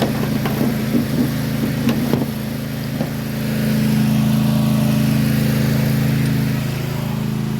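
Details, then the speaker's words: Toro TimeCutter mower with Kawasaki FR691V engine, which skipped, popped and misfired once warm, after a repair: settles into a steady, even drone while warming up, no misfire heard; running normally. "we're going to let it sit out there and run and get warm again to make sure that we got it fixed"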